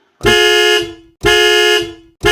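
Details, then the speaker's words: Chevrolet bus anti-theft alarm sounding through the horn with lights flashing until the reset is pressed: loud horn blasts repeating about once a second in an even on-off pattern. "Oh, there we go. My alarm's going off. There we go. It starts beeping."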